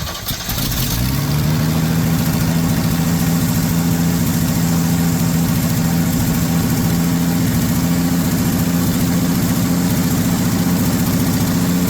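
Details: 1979 Ford F150 shortbed 4x4, 300 straight six with new carburetor, started after sitting 4 years: catches within a second, then a steady low idle with a raspy puffing edge; owner says it clearly has an exhaust leak somewhere.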